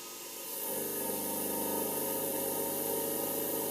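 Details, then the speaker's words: DIY belt grinder motor on TDA1085 speed controller, set about 1600 rpm and checked by tachometer: spins up to a steady whine that holds level under load; speed regulation copes well, motor healthy. "на вытягивает естественно подымается да нет справляется да справляется хорошо"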